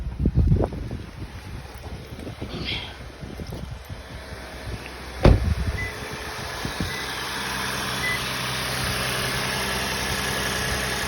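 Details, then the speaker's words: Lexus IS started right after a cold air intake install: handling clatter, a clunk as it fires, then a steady smooth idle with a deeper, slightly aggressive intake note; normal idle. "Alright, see how it sounds. Sounds a little bit aggressive."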